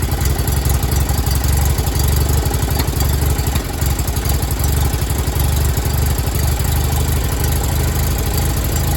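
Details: Miller Bobcat 225G welder-generator, idle for years, after starter solenoid, ignition pickup, alternator and fuel pump work and an oil and fuel line change, lightly choked: low, even drone at steady speed, no stumbles; generating fine, idle possibly set low, slow to warm.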